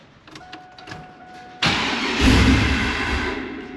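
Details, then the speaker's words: WS6 Trans Am, sat five years, new catback exhaust, awaiting a new tune, battery only partly charged: faint tone and clicks, then a loud crank that catches, surges with a hissing roar and dies; hard start and stall, owner suspects a large air leak. "It sounds like it has a ginormous air leak, but it could be from that box making a ton of noise. I don't know."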